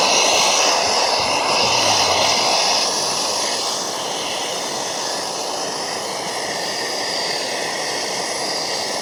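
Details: MSR Dragonfly liquid-fuel stove, owned a few years, flaring up during priming: loud, steady rushing roar with no rhythm, easing a little after a few seconds. Cause unconfirmed; owner wonders about too much fuel and thinks it needs a service.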